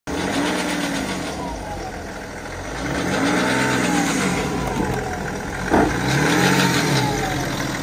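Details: 2012 BMW X5 30d E70 diesel being revved: a diesel rattle with rough metallic chatter that swells with revs. This is timing chain noise; this engine has chronic timing chain failure starting at 250,000 km.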